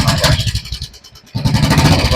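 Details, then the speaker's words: Royal Enfield BS4 engine, running: light quick ticking over the thump, briefly dips then returns, present all the time including cold start; hydraulic tappet noise caused by low oil level. "ഇതാണ് sound ഇത് full time sound വന്നുകൊണ്ടിരിക്കുകയാണ്"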